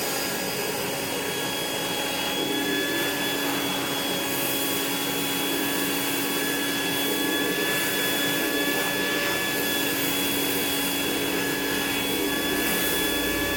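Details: Rainbow E2 Gold two-speed vacuum after rebuild (motor parts washed, lower motor bearing repacked, new HEPA filter, belt, brush roll), water in basin: smooth even motor roar with steady high whine, no rattle or grinding; healthy.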